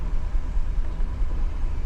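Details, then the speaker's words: 2015 GMC Yukon 6.2 V8, misfiring after the customer refueled: deep, uneven idle with a loping stumble in the exhaust beat; scan tool shows cylinder 3 misfiring, code P0300 engine misfire detected. "Dice engine misfire detected. Dice el P0300."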